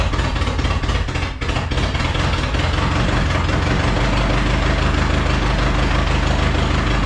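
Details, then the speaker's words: Datsun/Nissan 720 King Cab 4x4 abandoned about 20 years, after carburetor top-end rebuild: loud lumpy idle with stumbles, seemingly firing every other cylinder, throttle having almost no effect; carburetor flooding, cause unknown. "and the carburetor is totally flooding great okay not good not good well that's the longest it's run so I don't know what I'm talking about it's so inconsistent or honestly it felt like it was running on every other one"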